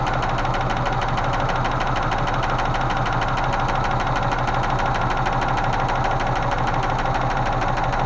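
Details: Range Rover Classic 3.5 V8 at steady idle: quick, even light tapping from the top end; hydraulic lifter knock after intake manifold cleaned and regasketed; oil lost fitting pressure sender; lifters later found collapsing in cylinders 8 and 5, new rockers fitted.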